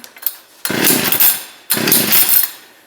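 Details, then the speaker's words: Ice auger engine after carburetor reassembly, trying choke positions: two short raspy bursts about a second each that fade out instead of idling; won't keep running, stated to be flooded. "that's weird. It is flooded, so I am going to leave it for now."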